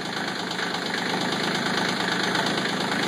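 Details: CK20 diesel cold start at 37°F, with one or more glow plugs suspected not working: after a long smoky start with a rogue cylinder, the clatter evens into a steady idle with no skipped beats.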